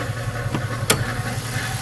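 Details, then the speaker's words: Lincoln LS V8 at idle, hood open: quick even rattle riding on each firing pulse, seeming to come from the bottom end; owner suspects timing chain tensioner or coil packs, not confirmed; engine rattle at idle. "What's this sound coming from my LS? V8. Sounds like a timing chain tensioner or something."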